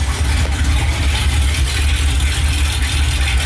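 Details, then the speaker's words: GMC Jimmy/K5 project with 454 V8, first start after transmission install, open headers, no exhaust: very loud, deep, even rumble, steady beat, no knocks or misses; runs like a dream. "a dream all right well it's loud as shit obviously with open headers"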